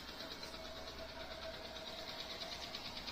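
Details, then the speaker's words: Honda Dream Yuga motorcycle after replacing the gear pinion that knocked in 2nd, 3rd and 4th gears: a quiet, steady single-cylinder patter with no gear noise; the repair is complete. "गाड़ी start है गाड़ी का sound भी सही है सारा चीज complete"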